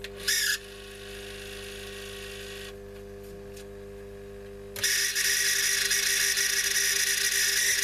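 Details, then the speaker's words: Telefunken Magnetophon 95 West German tape recorder on the bench, testing the speed control; shrill chirpy high squeal over a steady motor hum, cutting out and returning, likened to a budgie on heat. Squeal from the drive, cause unclear. "Dear, oh dear. It's like a budgie on heat, doesn't it?"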